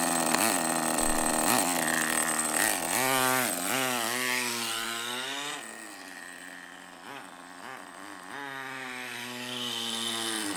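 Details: Traxxas nitro rally RC car after replacing an O-ring that had caused power loss and stalling, plus new servos: small nitro engine buzzes high and steady, rising and falling cleanly with throttle, never stumbling or dying; normal running.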